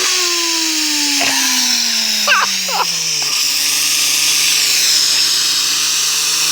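A loud droning hum that falls steadily in pitch as the car slows, the classic sound of a worn wheel bearing.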